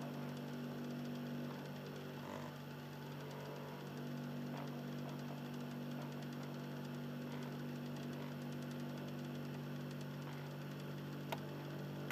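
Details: Philips Lite-On DVD drive in an Xbox 360 Slim, console in standby: quiet, low steady motor hum with a faint rough grinding texture, lower in tone than before; drive motor grinding.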